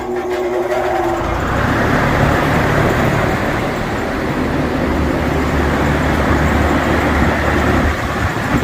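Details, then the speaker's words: Triangle Engineering 13,640 CFM exhaust fan for a DIY garage paint booth: spins up to an even, steady whoosh with a low drone and no rubbing, ticking or wobble; moves lots of air yet quiet. "here, this thing's really moving some air, but it's not very loud. I'm really pleased with the noise of the fan."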